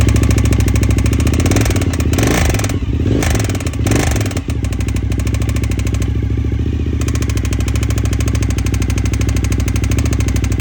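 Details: Suzuki TL1000S V-twin idling: quick steady ticking over its deep lumpy exhaust beat.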